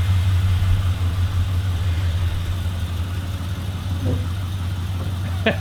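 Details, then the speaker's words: LS-swapped HQ Holden V8 at first start-up, running through a newly fitted 2.5" stainless exhaust. It holds a deep, steady burble at idle with an even low pulse and no misses or knocks, a healthy idle. "that sounds wicked that actually sounds really good"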